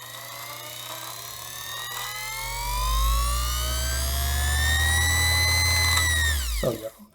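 Motor hum climbs smoothly in pitch as the pedal goes down, then holds high and clean; the machine runs properly at full speed.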